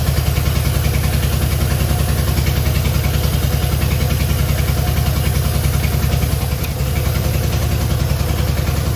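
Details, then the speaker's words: Long-stored Innocenti S Spyder fed from a jug since the tank and line are clogged, started on choke with starter fluid: deep, lumpy idle with a heavy uneven thump at three to four beats a second that stumbles now and then. "final we have an engine that we can just start up obviously it could be running a lot better than it is right now"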